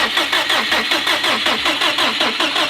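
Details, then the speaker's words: 2005 Subaru STI after full rebuild (new head gaskets, valves, retainers, seals), first start attempt: even starter cranking, about four to five pulses a second, no metallic clack, no valve contact heard; normal cranking. "oh okay you sounds fine yeah it sounds like sounds beautiful just like cranking over if a valve was smacking anything we'd hear it"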